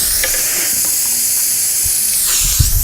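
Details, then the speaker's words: Tubeless radial tire being prepared for a plug repair: steady, loud hiss of air escaping through the puncture after reaming enlarged the hole, constant with no pulsing; tire air leak. "Then come out fast. You can hear we're making more air. Just made the hole slightly bigger."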